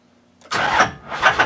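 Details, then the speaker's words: 2005 Duramax or 2006 Cummins diesel truck that sat three years without batteries, after clearing codes (possibly sensor, fuel pressure or ECM related): starter churns with uneven chugs and weak firing pulses but never catches; cranks but fails to start, codes return. "clear the codes again it almost went this is ungood"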